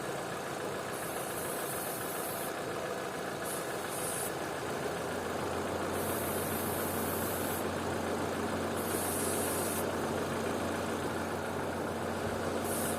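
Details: Opel/Vauxhall with an intermittent high idle of 2000–3000 rpm, idling at about 800 rpm during a vacuum-leak test with flammable spray around the throttle body: a steady, even idle, spray hissing on and off, revs never rising; no vacuum leak found.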